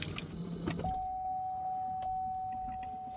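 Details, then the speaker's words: Chevy Trailblazer after new fuel pump installed, key on: brief rustle, then steady mid-pitched electric hum for a few seconds; fuel pump priming normally. "I hear the fuel pump. I definitely hear that fuel pump."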